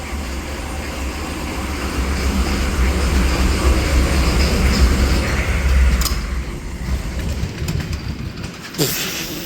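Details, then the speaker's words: 1995 Chevy Silverado 3500 one-ton dump truck, 6.5L Detroit diesel, cold start after sitting all winter (loose battery cables, jumpers/boosters used): heavy, uneven low clatter about four beats a second, still running a little rough and smoky at idle, needs throttle feathering. "Has this been started this No, it's been sitting all winter. I tried cranking on it before and then the battery's issue, so. There we go. Still running a little rough."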